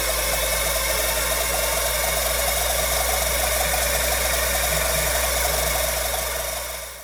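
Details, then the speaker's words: Old Finch hard drive for a Centurion minicomputer, reassembled after spindle turned freely by hand: rough gravelly grinding with fast repeating scrape about four times a second, fading on spin-down; owner suspects the motor or possibly a head crash, unconfirmed. "yeah that's uh that's not a good sound that's that's really bad and the microphone actually dulls the sound down a little bit it's even more Gravelly and gross sounding in person"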